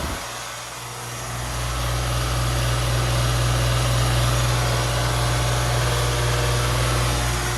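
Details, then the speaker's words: 2010 Philco (Nordyne) 2.5-ton air conditioner condenser: deep heavy hum swelling over two seconds on startup, then a loud steady drone; unusually noisy start and run. "I don't understand how how people can sleep with this it's ridiculous yeah this is one loud nordon unit it's much louder than what my cousin used to have before"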